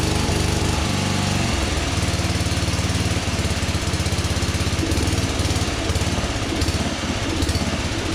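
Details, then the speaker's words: 1982 LongLife 36" lawn tractor, 40-year-old barn find long unused, single-cylinder engine runs rough and lumpy with wet, rich stumble on jumper pack; fuel leaking and backing into a possible crankcase breather, owner suspects flooding from carb float needle stuck open. "But obviously fuel is filling up in here and backing up into there, which makes me really think that the engine is flooding itself right now, which isn't really good because I don't want to change the oil yet."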